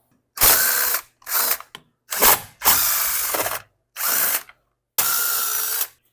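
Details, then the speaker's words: Stihl FS40C trimmer that suddenly stopped, with good compression and a new plug, pulled with the kill wire off the coil: six recoil pulls with a ratchety rasp and no firing. "we're take the kill wire off the coil and try starting it that way it will'll determine if it's the switch if it's the switch or the coil"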